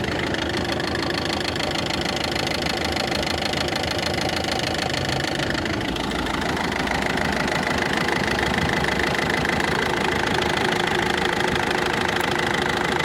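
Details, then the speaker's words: Ford Focus 2 1.6 diesel at idle: fast, fairly regular knocking, about 200 per minute, clearer from above the engine. Source not found; owner suspects a pulley or tensioner roller, not confirmed. Engine knock at idle. "Ford Focus 2 дизель 1.6 стук интересный двигателя здесь как вроде бы нормальный сверху СТ снизу вот такой вот Сток"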